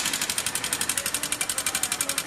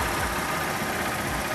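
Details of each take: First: 2014 Honda Titan 150 that began making noise one morning. Oil is not rising to the cylinder head, checked at the head inspection screw. Rapid, even sharp metallic ticking, about nine per second, over a faint engine. Dry, seized rocker-arm roller, before repair. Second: 2014 Honda Titan 150 after repair for engine noise and lack of lubrication, with the rocker arm replaced and the engine cleaned and lubricated. A busy but even idle with a steady patter and no knock or rattle. Normal idle.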